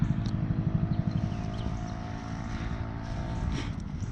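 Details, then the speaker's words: 2010 Dongfeng DF250RTB 250cc air-cooled single, revived after 10 years sitting and running without a battery, ridden through the gears at full throttle: a quick, even lawnmower-like thump pulling away; it runs fine under load and all gears work. "still running shifting gears sounds like a lawnmower doesn't have a battery in it so he better not stall it I hear him coming back it sounds like a lawn mower at Full Throttle"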